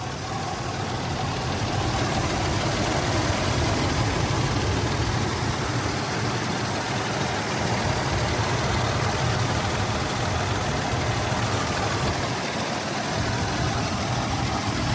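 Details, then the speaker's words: 1995 Toyota 4Runner SR5 V6 4x4, 5-speed manual, 250,528 miles, new belts, hoses and vacuum lines: steady low idle with an even smooth beat, no knocks or squeals; healthy. "Letting you listen to it idle."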